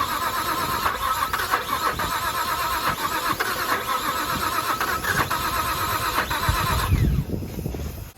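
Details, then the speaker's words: Nissan R33 with a forged RB25 on an unfamiliar base map: steady fast cranking with sputters that almost catch after distributor timing was advanced at the cam angle sensor; ignition timing way off, so it won't start. "okay so what i know for sure is the ignition timing is way off it's almost about to start but that's with me advancing the out of the cam angle sensor"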